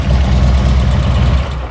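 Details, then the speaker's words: 2008 Harley-Davidson Street Glide, 96-inch, six-speed, warmed up idle: lumpy V-twin idle sags and fades as brake cleaner hits front intake manifold; leaking front intake manifold seal. "we know with that we've got a leak intake manifold seal."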